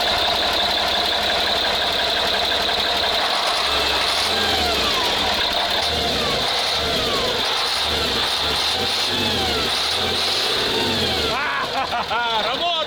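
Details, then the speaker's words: Praga V3S truck diesel after being drowned, oil drained and refilled with fresh, chamber filled with diesel: busy clatter picking up cleanly with each throttle blip and settling back; now responds well to gas, running normally. "Hooray! Do you hear that, Lyosha? After drowning, it started responding well to the gas. Look, like a real diesel car."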